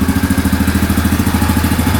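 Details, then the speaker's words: 2009 Yamaha Grizzly 550 EFI ATV after repair: steady, even idle pulses around ten per second with no misses or knocking, no smoke and the engine light off; runs smoothly and sounds healthy. "So far so good. No smoke at all. That's a great sign."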